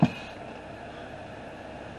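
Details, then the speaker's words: 2009 Ford Escape after brake booster replacement (old one leaked air via bad seal): brief puff of air as pedal is pressed then quiet steady hum, no constant hiss; booster sealing normally. "you can see there's no air coming out you can't hear anything now you do hear that little initial uh area that's that's totally normal"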